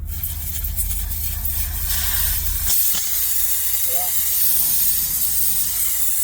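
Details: Air horn system, airline tested with the valve in place (gauge only 55 PSI, not 120) then disconnected past the valve: loud steady air rush jumping much stronger once bypassed; the valve is the restriction.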